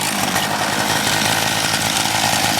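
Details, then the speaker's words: MVS 10 gas scooter on a cold start at about 31 degrees, primer pushed four times, choke left on until about to stall: high, buzzy, slightly uneven small-engine drone running rich; running on choke after cold start. "when it is running, keep the choke on for a little bit until it's about to stall."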